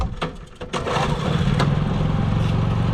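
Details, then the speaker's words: Honda EU3000 generator after pull cord repair, carb cleaning and new battery, completely cold start on pull cord with choke in cold mid-May weather: a couple of cord scrapes, catches within a second and settles into even running. Normal cold start. "So this is going to be a completely cold start, and we're going to use the pull cord instead of the battery."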